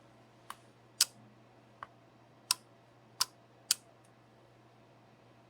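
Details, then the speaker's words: ESP8266-driven two-relay module with no load connected: sharp, dry clicks in a quiet room as the relays switch on and off cleanly; normal relay switching. "to check if the relay turned on first check if you can hear a clicking sound"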